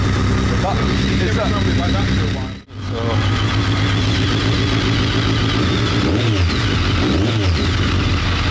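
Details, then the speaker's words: BMW K1200 R, previously rough and cutting out, after diagnostic reset of injection adaptation values; sat two years: steady even idle, smooth low beat, warm at just over 100 degrees with fan on; runs normally, slight clutch rattle. "Right. Just over 100 degrees. So, yeah, it's all good."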